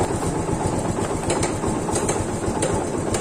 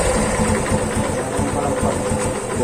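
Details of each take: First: Yamaha FZ150 single with noisy cylinder head, before repair; fast light metallic ticking over a steady idle from the top end; suspects include camshaft, cam bearing, tappet clearance, timing chain, guide or tensioner, unconfirmed. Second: Yamaha FZ150 single after timing chain repair that cured top-end noise; even idle with soft regular firing pulses and no tapping or clatter, quiet and healthy where before it was "singing".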